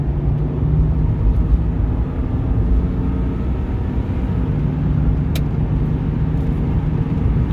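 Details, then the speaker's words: 1989 Jaguar XJ6 on a test drive after the carrier bearing was replaced. At 60–70 mph there is a steady low road and drivetrain rumble with no whine, shudder or thump. The earlier noise that started around 60 mph is gone and the driveline sounds smooth. "we're at 60 smooth don't hear that noise 70. i think we're good"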